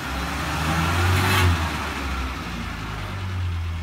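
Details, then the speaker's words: 1987 Ford Ranger regular cab, five-digit odometer, just started: steady low rumble with a brief smooth rise in revs, no misses or knocks, engine healthy. "five digit there go and start it up fired right up don't give a little gas"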